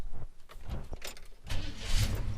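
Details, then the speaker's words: Holden HK Premier wagon right after a starter motor replacement: short clean crank with no clicking, instant start and a steady rumble; normal starter cranking and start. "Oh, it just sounded beautiful, no click, no nothing, just boom. Instant start, no throwing the motor over a million miles an hour, just a gentle old starter motor that they were."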